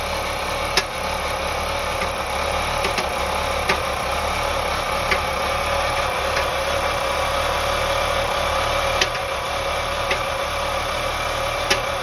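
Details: 2001 BMW 525i E39, M54 engine at idle: sharp irregular knocks every second or few seconds over an even hum, with misfire; owner suspects loose spark plugs, not confirmed.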